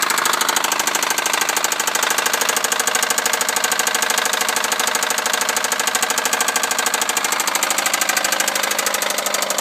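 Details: 1998 Honda Civic on a cold start: loud, heavy, steady knocking over the idle from a severe rod knock.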